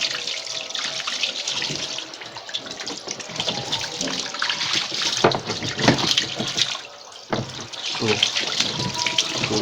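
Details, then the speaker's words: Scanfrost SFWMTTB washing machine that would not drain after washing, tested during the repair: a strong, steady rush of very dirty water pouring out with splashy surges; the drain is running freely. "So a nan wurin yanzu za ku ga ruwan yana fita da datti sosai kamar yadda kuka gani."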